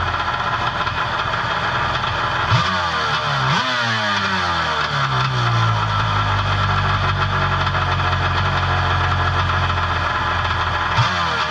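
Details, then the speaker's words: Personal watercraft two-stroke with Mikuni carb: the idle hum sweeps upward over a few seconds then holds higher as the low-speed mixture screw is turned in, leaning it. "We're going to fire it up and I'm going to bring it in until the idle starts to raise, and then I'm going to back it off."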